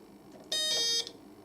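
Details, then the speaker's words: Kit-built 555-timer ding-dong doorbell on a 12 V supply: one bright electronic tone lasting about half a second, cut off abruptly with no ring-out. The discharge is too short and the volume low; the potentiometer needs adjusting. "Ooh. Very quick. Let's adjust this potentiometer. It's not very long on the discharge."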